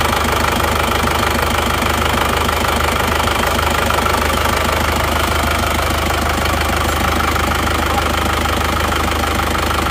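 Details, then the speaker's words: Isuzu Panther Touring diesel with a newly replaced "ring shaker", started and idling. Steady, even idle with light regular clatter about two beats a second, no knocks or misses; smooth, though cabin vibration is higher than a Kijang's. "Terus suara mesinnya seperti ini. Ini sama-sama halusnya sebenarnya, sama-sama halus."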